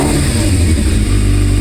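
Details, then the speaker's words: 1998 Yamaha Thundercat 600R (YZF600R), not started for a while, choke on, after no-start repairs: five strong, even revs, exhaust note rising cleanly with no misfire or clatter. Normal revving. "So, I'm going to give you five revs cuz we got five subscribers. So, listen to this beauty."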